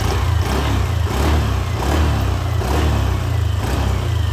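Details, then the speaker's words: Yamaha Aerox V2 scooter after repair of a cricket-like chirping noise caused by a failed camshaft bearing and rocker arm: smooth, even revs rising and falling with no chirping or ticking; noise gone, normal revving. "So nawala naman na."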